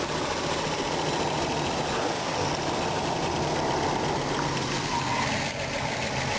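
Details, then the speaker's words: RV V8 after swapping in a new distributor, timing still off: light, quick ticking over a steady idle with no change in speed; source unknown. "I'm not even sure where that noise comments off might be coming to my smock really hard to tell"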